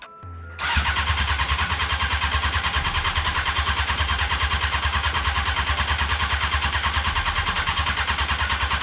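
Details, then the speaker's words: Honda F4i sport bike on its first start attempt after a non-priming fuel pump, with the pump now running: steady starter chugging at about three beats a second, continuing without a clean catch. Extended cranking before start; cause not confirmed. "okay well hey at least it turns over that's a start"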